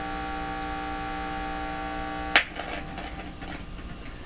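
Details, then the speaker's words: 1940s Philips PH202 tube console phonograph at full volume: steady buzzing mains hum, no music, then sharp click and faint crackle; dead cartridge suspected, switch possible. Hum with no phono signal. "we're not hearing a thing that's not good we'd like to hear a little bit let me turn it right up she's blasting nothing"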